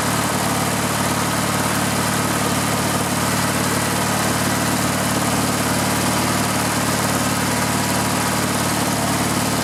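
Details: Riding lawn mower engine run with the fuel tank bypassed and gas fed directly: a steady, even drone with no misses, knocks or surging. The engine is healthy; the owner concludes the no-run fault is a restriction in the fuel line or gas tank.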